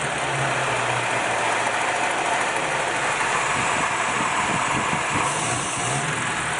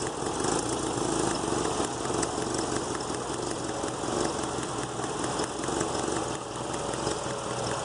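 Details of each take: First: Engine, throttle pulled up and held at the angle that previously stumbled: steady, even roar with no stumble or misses; running smoothly now. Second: This one here, you could hear it going pop, pop, pop, you know.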